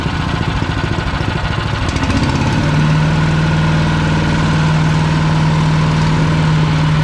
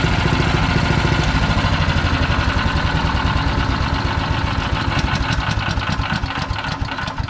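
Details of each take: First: PowerMate 212cc wood chipper single-cylinder engine: runs steadily, then a constant low hum sets in and holds; unfamiliar running noise, cause not identified. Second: PowerMate 212cc wood chipper single-cylinder engine after clearing something tangled around it: runs with a quick, even chuff and no misses, then slows and stops; sounds healthy.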